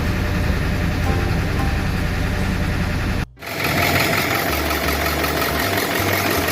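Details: Ford 7.3 Powerstroke turbo diesel after a no-start fixed by replacing the missing fuse 30 in the relay control circuit that lets the computer activate the injectors: even diesel clatter at steady idle, constant low rumble, no misses or stumbles; normal idle.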